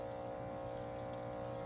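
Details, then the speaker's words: Truck fuel system with a new electric fuel pump priming, hose off the carburetor, purging air bubbles: a steady, even hum with a clean constant tone and no sputter or surging; healthy pump. "I can tell that pump sounds really good instantly. There you go."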